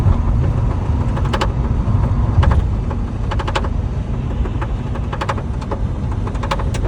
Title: Lincoln mkz rattle noise passenger side